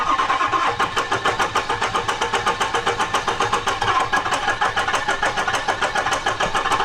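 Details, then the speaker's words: 6.0 Powerstroke diesel truck: the starter cranks in even pulses of about 3.5 per second but it won't start. Air in the fuel and oil, smoke from the exhaust, injectors clicking; crank no-start, cause unconfirmed. "me it's got air in the fuel it's got air in the oil got it everywhere it's it's smoking out the exhaust though which means we got some fire you can hear the injector's clicking doesn't like that though"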